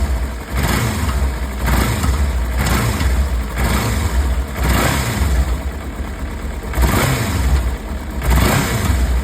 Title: Clicking and knocking sound in Ninja 300 ??